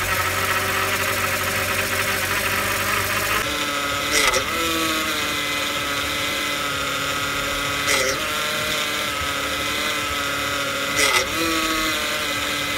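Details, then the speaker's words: BMW E92 328i idling, engine started during power steering fluid change: steady high whine from the power steering pump that dips and strains as steering turns; whine worst on cold start, almost gone after fresh fluid. "you might want to turn down the volume a little bit because I'm turning the car on and I want to show you the whining noise that it still was having until the fluid was rushing through the from each compartment"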